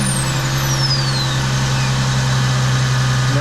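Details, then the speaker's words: 1999 Ford Mustang V6 with P0411 code, cold start heating catalytic converters: loud steady low buzz over idle from the secondary air pump, which vibrates against a mounting bracket that lacked clearance. "I can hear it already it's going like crazy it buzzes quite a bit actually"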